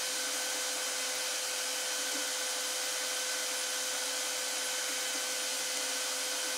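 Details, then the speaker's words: 3D printer (RAMPS 1.4, E3D V6 hot end set to 190, bed reading 23): with the case opened there is much more noise from the hot step-down unit and its fans. A steady loud airy whir with a thin constant whistle is heard. "Now you can probably hear a lot more noise. It's this unit that gets hot."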